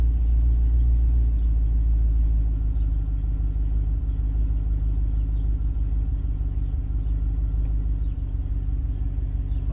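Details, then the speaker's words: 1994 Range Rover V8 running on a customer's ECU with different fuelling pattern after airflow meter work: deep, steady idle rumble with even beat, no stumbles or hunting; much smoother though meter reading still dancing. "all right so this customer zcu my air flow meter fo me tree still dancing around a bit though but the idols much smoother"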